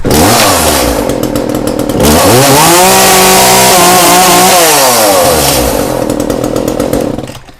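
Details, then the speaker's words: Echo chainsaw with 120 psi compression and good blue spark, chain just tightened, started without choke: starts and pulls cleanly, revs rise smoothly and drop back evenly with a steady, crisp two-stroke buzz; normal running. "Couldn't ask for it to run any better than that."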